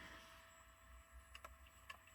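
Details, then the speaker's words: Failed hard drive in a dock on a computer: a quiet, steady whine of spinning platters with a few scattered ticks; the drive spins while the heads stay locked in place and never seek. "Oh, okay. That's different. I like it. It's just going to sit there and spin."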